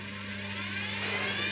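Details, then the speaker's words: 10-pin universal brush motor running in reverse after its connection was swapped, fed through a dimmer: a steady whir with a low hum and high whine rising slightly as it spins up, running smoothly. "está girando tenemos el consumo lo apagamos del dimer tenemos consumo"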